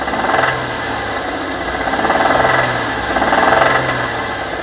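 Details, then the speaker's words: Ford Edge that suddenly began knocking after about 1,000 miles: uneven knocking, roughly three per second, over the running engine. A bad timing chain tensioner letting the chain knock is suspected, not confirmed. "would be the timing tensioner went bad and you know it's the timing chain that's kind of knocking around in there a little bit"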